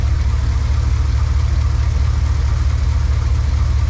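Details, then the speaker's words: High-mileage 21-year-old GMT800 Chevy Silverado/GMC Sierra 1500 V8 at idle after fitting used long-tube headers; deep, slightly uneven beat; owner suspects a bad spark plug boot; possible misfire at idle. "Sounds like one of them spark plug boots might be bad."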